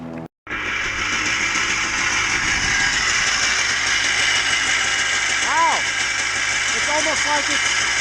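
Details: Yamaha Blaster two-stroke idling steadily after a worn exhaust flange was fixed with a makeshift sleeve and crushed gasket; crisp ring-ding idle, no puffing or spitting at the exhaust joint.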